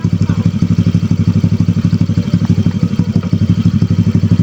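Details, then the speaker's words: Motorcycle with an Akrapovic pipe installed and the silencer insert removed. Deep, raw popping idle at about two beats a second, loud and unmuffled; even louder in person than recorded. Loud exhaust with the silencer removed. "So yan, tinanggal ko ang silencer niyan. Yan tunog niya pag walang silencer."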